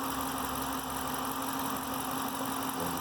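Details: 2013 Dodge Challenger R/T 5.7L Hemi, warm after about an hour of driving, idling: light fast tick over the V8 hum; owner suspects the known Hemi lifter tick, unconfirmed, near warranty end.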